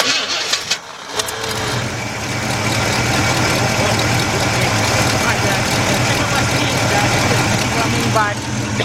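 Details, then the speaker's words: 1977 Buick LeSabre 350 idling after a steering gear box replacement, with the wheel turned back and forth to circulate the fluid: steady idle with no power-steering pump whine or moan; healthy. "It don't have to be bled. Look at this, already. And you don't hear the power steering pump whining or anything."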